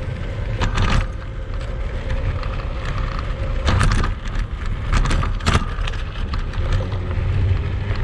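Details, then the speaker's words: Kugoo Max Speed Pro electric scooter ridden off-road on sandy rough ground, after earlier falls: loose clattering bursts and jangling rattles come with each bump, so something in the frame or suspension is loose. "я думаю вы увидели что шумов достаточное количество там практически наверное весь видеоролик слышно как все громыхает дребезжит"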